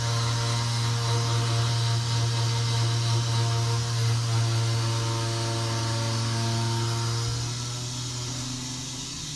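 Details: Armitage Shanks toilet, noisy after flushing: steady low hum with a faint pulsing flutter as the cistern refills, fading toward the end; cause unknown.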